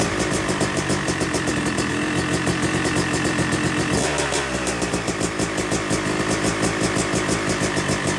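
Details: Yamaha YZ250 two-stroke (250cc/270cc) freshly rebuilt engine, second start after cooling, warming to about 100–125 degrees during break-in: crisp even idle with light throttle blips, clean pickup, no rattles; normal warm-up idle.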